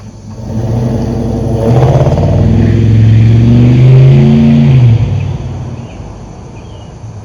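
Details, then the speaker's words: LS-swapped 1987 Chevrolet C10 automatic, which was in limp mode starting off in 2nd, on a test drive after the fix: revs climb under throttle and drop cleanly as it shifts twice. Transmission now upshifts normally. "right, it shift twice just now."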